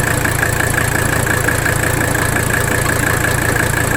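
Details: 1985 Mercedes 300D diesel at idle after adjusting the rack damper bolt. Steady, even clatter with no stumbling; the idle is smoother than the earlier rough running.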